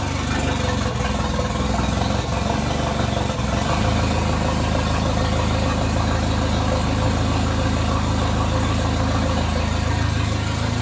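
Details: "!200" engine after exhaust cut and broken catalytic converter removed, now running worse, with coils being swapped: loud low drone that pulses unevenly with no clean pickup, stumbling and hunting. Acts fuel-starved though fuel pressure reads about 38 psi. Cause undiagnosed.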